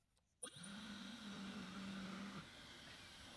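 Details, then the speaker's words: Dyson Supersonic HD01 hair dryer that had only flashed three white lights, now fully reassembled: motor spins up at once to a steady, even whirr with a smooth rush of air and no rattle. Hair dryer running normally. "I mean I mean that's a working hair dryer I guess"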